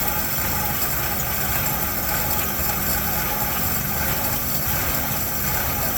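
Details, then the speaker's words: 1972 Chevy C10 with a 350 V8, sat in a barn 30 years, warming up from cold at 29°F: smooth, even, steady low rumble with no knocks, misses or squeals; ran so good. "Man, this thing ran so good."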